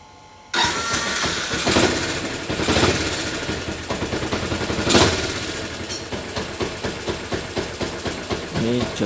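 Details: Motorcycle electric starter after replacing worn starter motor carbon brushes (before, it only clicked without turning): starter engages cleanly, engine catches at once and settles into steady idle; starting system working normally.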